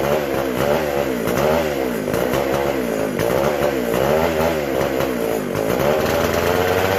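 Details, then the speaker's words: McCulloch SP125 chainsaw after fixing a large gap between carb and intake: two-stroke buzz with rhythmic rev swings, revving cleanly without stumbling; runs healthy. "A lot of love down there. That sounded a lot better."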